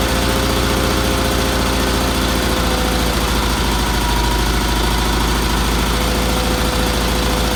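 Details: Roper tractor with BFM twin-cylinder engine after new fuel filter, fuel line, pulse line and tuning: even, steady low throb at idle with no misses or knocks, running smoothly.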